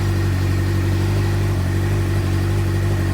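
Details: 2007 Suzuki GSX-R600 after ECU/CDI replacement, started on jumper cables then kept running once disconnected: smooth, even idle with steady low drone, no misses or knocks.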